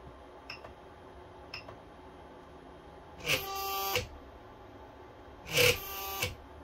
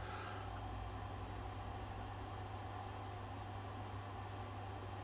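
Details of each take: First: Aging 3D printer bed stepper motor: faint ticks then short harsh buzzing bursts every two seconds, pulsing without moving though bed slides freely; stalling caused by a faulty cable, not the motor. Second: 3D printer stepper motor uncoupled from the axis to remove strain: a steady, even low hum with no skipping, clunking or stuttering. Normal stepper motion; the motor and controller are not at fault.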